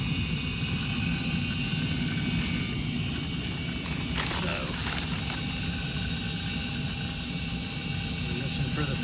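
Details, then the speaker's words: Carrier gas furnace after igniter replacement and flame sensor cleaning: a steady rush of air over a low hum from the induced draft blower, operating normally, though the draft inducer assembly is suspected to be near its end. "it's on and blowing I can hear it just this whole induced draft"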